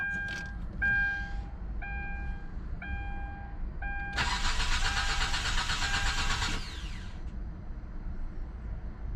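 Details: 2009 Hyundai Grandeur TG, about 40,000 km, used-car inspection: warning chime, then about two and a half seconds of steady cranking that never catches; starts later with another key, spare key likely not registered to the immobilizer.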